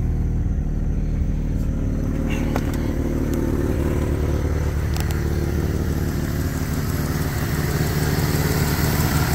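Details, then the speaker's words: Jeep Cherokee XJ, original engine at 230,000 miles, just started: smooth, steady purring idle with no lifter ticks or knocking; the engine sounds solid. Normal idle. "listen to that baby purr nice and smooth not bad for 230,000 miles no lifter ticks no knocking no nothing"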